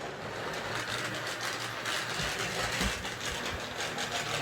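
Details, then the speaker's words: Hornby R859 LMS Black 5 model locomotive, non-runner after oiling, on layout: steady motor whir with uneven buzzy rattle, lumpy running; front bogie seems to drag, drawbar between loco and tender suspected. "Okay, it sounds like the front bogey's dragging. I don't think the wheels are spinning properly, so I'm getting that rattling sound, and it's a little bit lumpy running."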